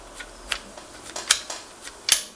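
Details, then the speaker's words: NuTone IK15 intercom station Talk switch after spraying cleaner and working it back and forth: sharp little snapping clicks every half second as the switch is worked and snaps back; return sounds free, not sticky. "you should feel that it should improve and how easily it moves and how easily it springs back listen for the spring"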